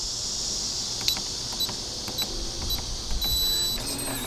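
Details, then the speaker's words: RVLock Keyless RV door lock locking after a new keypad code is programmed: several short clicks, then a brief motor whir and a firm latch as the deadbolt drives home; it locks properly. "And you can hear it locking, and it is locked."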